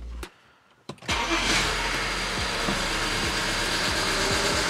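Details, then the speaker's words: BMW 335i wagon, N54, restart after checking cylinder four injector seating and grounds: cranks, catches, idles with a recurring uneven thump; cylinder one misfire, diagnosed as a bad injector. "misfire cylinder one all right well i am confident to say that this car has got a bad injector"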